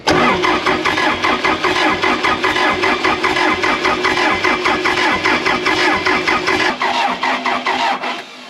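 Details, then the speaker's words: Case 450B dozer, abandoned 15 years, after a Roosa Master DB2 injection pump rebuild: steady rhythmic cranking, about 75 beats a minute, with no catch; the pump fills with fuel, but there is apparently no high-pressure fuel, and a stuck plunger is suspected. "well i don't think we're getting any high pressure fuel maybe just the one plunger stuck"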